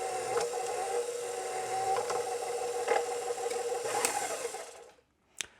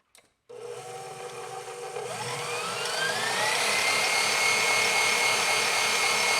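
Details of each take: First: KitchenAid Professional 550 HD stand mixer quit mid-dough: the motor hums while the drive catches, releases and grinds in gritty bursts about once a second; the metal worm follower drive gear is suspected stripped. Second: KitchenAid Professional 550 HD stand mixer after replacing stripped worm follower gear and greasing: motor spins up to even, steady whine and winds down with no grinding, clicks or slipping; fixed.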